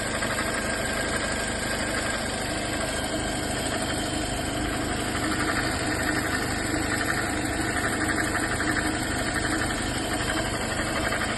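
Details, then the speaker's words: 2018 Toyota Corolla idling, before repair: steady rough whirring and grinding from the alternator belt area, worn alternator bearing; fixed by replacing only the bearing. "coroinha 2018 ele tá com um barulho aqui na Correia na Correia vou mostrar o vídeo que a gente fez antes o barulho e a gente trocou rolamento do alternador"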